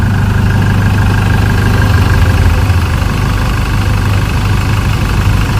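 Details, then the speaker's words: Chevrolet Colorado 2012–13 diesel after injector test and fuel-delivery recalibration and ECM code clearing: starts easily and idles steady, smooth low rumble, no knocking or misses; normal diesel idle, no check-engine light. "เอ้าสาร์ทอุ้ยโอ้ติดง่ายเลยชึ่งเลยนะครับตอนนี้สตาร์ทออกมาเดินนิ่ง"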